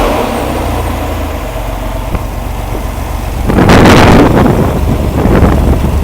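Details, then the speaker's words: Rampy 80 hp engine built from mostly used parts, idling at its first start: a smooth, even idle with a steady low pulse, then a brief louder surge, no knocks or misfires; the owner calls it beautiful. Normal idle. "First start, baby. You got to witness it. Listen to that thing idle. That's just beautiful."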